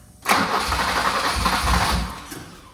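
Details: BMW E30 318i manual being diagnosed for a starting problem after a backfire on an earlier crank, with the airflow meter not yet fitted; about two seconds of cranking with uneven low thumps that never catch: cranks but no start, cause not confirmed.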